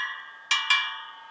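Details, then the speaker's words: Harley-Davidson wheel just rebuilt with new spokes and nipples, spokes tightened: two crisp ringing pings from tapped spokes at much the same bright pitch, showing even spoke tension; all sound about the same. "They all sound pretty much the same to me."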